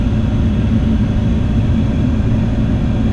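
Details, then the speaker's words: 2009 Dodge Ram 1500 cab blower after new blower motor installed, speeds two and three: steady low air rush, even hum, earlier whine at speed two gone, maybe slight new noise at three; healthy. "I don't get that annoying whine at two anymore three got a little bit of a new noise I think"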